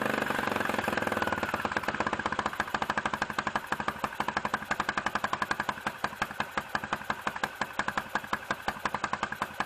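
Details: 2006 Can-Am/Bombardier DS250 ATV, first start in 10 years after a new battery and fresh gas with varnish cleaner, air filter out. It settles into a fast, steady single-cylinder putter with no misses. Normal idle.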